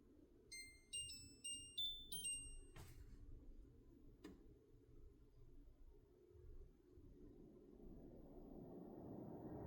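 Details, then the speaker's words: Winix 5520 air purifier running: several quick bell-like dings over a soft fan hiss, then the fan note rises; chime occurs around plasma switching off, exact source unclear. "Sounds like bells ringing. Ding, ding, ding."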